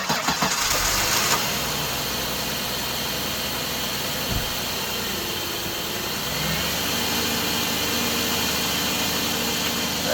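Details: Car started after idler pulley bearing replacement and belt reinstalled: quick crank, clean catch, steady even idle with no ping or chirp from the belt side; earlier ping gone, power steering pump leak still unfixed; healthy.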